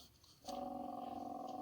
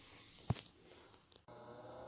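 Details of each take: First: Old inducer/exhaust vent motor removed from a Lennox furnace (12W47): after a brief quiet start, a rough buzzing hum with a fast purring flutter holds steady; abnormal noise, motor being replaced. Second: New inducer/exhaust vent motor on a 2007 Lennox furnace (12W47), just after replacement. It spins up to a smooth, even hum with no rattle, scrape or bearing noise, and the old noise is gone.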